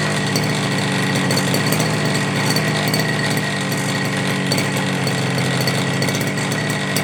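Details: FG Marder petrol RC car, small two-stroke, run the day before, started without choke after a couple of primes, after front-end bolt fix and brake/throttle linkage adjustment: steady crisp buzzing at even revs, no stumbles or misfires; healthy normal running.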